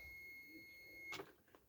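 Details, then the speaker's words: Steady, high continuous beep for about a second: the unit's no-power warning after the main switch is turned off, with the battery emergency light kicked in, while rewiring a 4 ft 40 W T12 fluorescent lamp fixture. "So when I stick this thing into the socket, and you stick this thing in the socket, so you can hear the beep because there's no"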